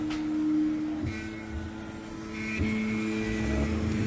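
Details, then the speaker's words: Creality K1 Max 3D printer during first-layer tests: steady humming tones shifting pitch as the head moves, with buzzy vibration on top, blamed on a motor; also causing ringing, lessens when slowed. Cause suspected, not confirmed. "yeah it's kind of it's coming from this mode over here that's why you keep seeing these um raining or vibration and stuff like that"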